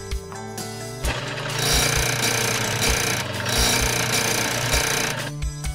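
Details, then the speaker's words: Snowie 3000 ice shaver, powered up for an alignment test after a blade change: motor hum turns to harsh metallic grinding with uneven thumps. Misaligned blade or housing touching the paddle wheel; fix by centring the housing. "the machine is not to be operated with a misaligned blade the grinding occurs when the blade or housing is touching the Paddle Wheel"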